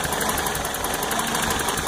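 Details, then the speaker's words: Toyota truck after new timing chain, oil pump, water pump and exhaust work: off the gas the idle sags and lopes, rocking and close to stalling, steam from under the cap; better with a little throttle; owner suspects an exhaust leak. "and you see I stopped a stop pushing on the gas and now it's like ready to stall out you can see there's some steam coming out from under the cap see how it's rocking a little bit really struggling"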